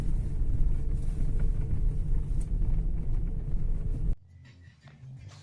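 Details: 2018 Lada Vesta, 20,000 km, driven slowly on gravel after replacing the stabilizer link; steady tyre and gravel rumble with the earlier left-front knock gone.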